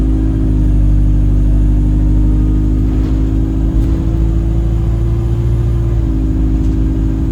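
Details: Alexander Dennis Enviro 200 (E20D) bus, steady whistle over the diesel's low drone that later turns horn-like, much louder toward the front; owner suspects the gearbox, bus also felt sluggish, cause unconfirmed.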